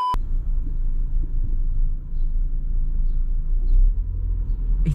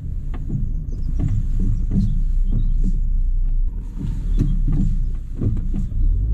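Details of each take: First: Fiat Punto driving slowly while turning after repair to fix a front knock (CV joint next suspect if it persisted): only low road rumble and tyre noise, no clunks or rhythmic knocking; knock fixed. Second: Fiat Punto with loud knocking when turning left and right at slow speed: heavy irregular clunks over a low rumble, like a train over tracks, suspected worn strut top mounts; broken springs still to be checked.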